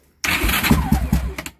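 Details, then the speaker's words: Raptor 660 bored to 686 with the stock OEM starter, fuel off: brisk, even starter cranking with strong compression pulses about five a second, the normal cranking sound. "see there just bone stock this is the way it's supposed to sound when it rotates"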